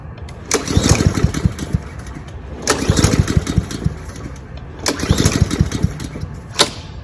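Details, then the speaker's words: Cub Cadet SC-700H mower with GCV 190 engine, deliberately run dry before winter storage after a backfire: catches in short ragged bursts about two seconds long with dead gaps, sputtering and stalling as the carburettor runs out of fuel. "okay it's ran out of gas in the in the uh carburetor so now this is the last day we're going to listen to this engine for 2023 anyways"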